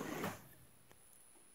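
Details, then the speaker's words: AASD-15A servo drive on 220 V, connected to house local/equipment ground: thin, steady high-pitched whine from a ground loop; system ground reduces or eliminates it. "so yeah if you have it on the local grounds it's likely you'll get the drilling noise so this has to be somehow isolated at the place"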